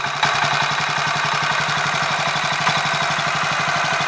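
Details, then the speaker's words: Royal Enfield 500 Machismo electric start, after fixing starter noise at a tiny spindle with an oil hole and 20W-50 oil, choke on while warming up; even steady single-cylinder thump at fast idle, no rattles or clatter. Normal idle. "I think I'll take that as a small win that sounds a lot better all for the sake of having one tiny spindle that has an oil hole in it"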